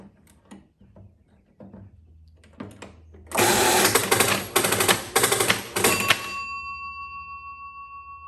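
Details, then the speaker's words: 1948 Chicago Coin Catalina electro-mechanical pinball machine after repairs, coin start: four evenly spaced clattering bursts of relays and kickers from the scoring motor, then a bell tone; first clean, complete score reset. "I think it did it I saw these little things pop out when it was doing the 5,000 uh Point uh score in the back you could hear it Go d d so that was obviously the part of the scoring motor that had five little indentations"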